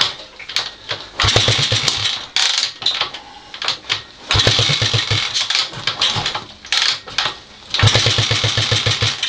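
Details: Honda XL250S after renovation: repeated bursts of fast, even cranking with pauses, never catching. It cranks but won't start.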